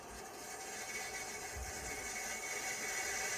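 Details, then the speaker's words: IBM PS/2 Model 25 (8086) 20 MB hard disk: harsh scraping grind with hissy edge, no steady whir, "like dragging a muffler"; drive fails tests, effectively dead. "see if we can least boot from it even though it sounds like uh somebody's dragging their muffler down the street"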